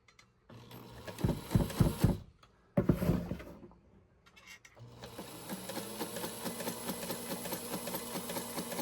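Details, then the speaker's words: White model 1563 sewing machine, long stored in a garage, during cleaning and oiling: steady clatter of about four knocks a second, even but slightly loose-sounding, improving after oil; cause of knock unconfirmed. "So again, I'm seeing what's happening with that knocking noise. And it's beginning to sound pretty good."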